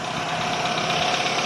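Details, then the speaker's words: Chevrolet Aveo with check engine light and code P0507, engine idling fast with no stumble; a leaking air hose is suspected. Plugging it by hand makes the engine nearly stall, and releasing it swings the idle up. "เดี๋ยวผมจะลองเอามืออุดดูนะครับเนี่ยทำให้เครื่องรถเราเหมือนจะดับแต่พอปล่อยสวิงขึ้นนะครับ"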